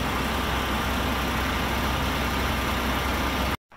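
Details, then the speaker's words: Hyster H80C forklift, previously non-running and brought back to life, hydraulic clutch: steady, even engine note with no knocks, misses or rattles before cutting off; running and driving normally. "all right she's running and driving and moving around okay everything on it seems good"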